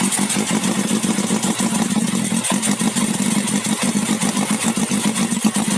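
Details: Carbureted four-cylinder big bike with a leaking carburetor dripping fuel, idling lumpy and uneven, firing pulses stumbling instead of a smooth beat; rough idle.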